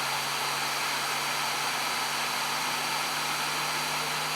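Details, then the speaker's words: New Flashforge Adventurer 5M 3D printer during its post-leveling vibration calibration, shaking rapidly side to side with a hand resting on it: a steady, even buzz with a low tone, like an out-of-balance fan. The cause is unconfirmed. "there it's vibrating so quickly now it's just buzzing can you hear it almost sounds like an out of balance fan a band out of balance"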